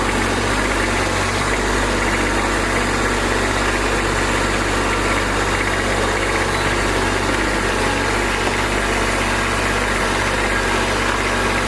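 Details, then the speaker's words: Kubota B2601 diesel tractor first started after a month unused in cold weather, block, oil and transmission heaters fitted: started quickly, now steady warm-up idle with an even beat, no knocks or surges; running fine. "It started right up. Of course, I have a block heater, an oil heater, and a transmission heater on that tractor, so that wasn't an issue. But it did start quicker than I thought it would, so we're going to let her warm up here a little bit and then get back at it."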